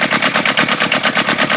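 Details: Kubota diesel in a microcar (voiture sans permis) just after rocker/valve clearance adjustment to 0.20 mm feeler gauge: quick even pulses about five or six a second, no tapping; normal idle, valves correctly set.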